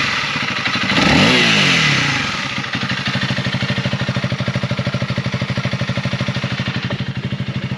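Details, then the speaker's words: Honda CRF300L, warmed up, back from the dealer after the fix: single-cylinder blips up cleanly, then settles into an even, steady thump with no rattle or buzz; the earlier weird sounds around 7,500–8,000 rpm are gone. Normal revving. "all right so obviously that sounds a little bit better than what it did before uh it was making the weird sounds in that 75 to 8000 rpm rev range so not doing it anymore"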